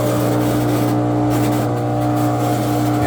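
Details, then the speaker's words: Front-loader washer: steady low fixed-tone hum with no cycle selected, running constantly until unplugged; drain pump running with machine off, pump verified good; counterbalance tub part implicated. "what you will walk into your laundry room hearing without any selections and but it would be a constant run and then you would have to unplug it in order to get it to turn off"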